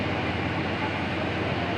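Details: Old-model Carrier 2.5 HP aircon outdoor unit running after the loose compressor wire was fixed, cooling with a sweating line; frost that does not melt would indicate low refrigerant. Steady, even rushing hum with a low drone; compressor running normally.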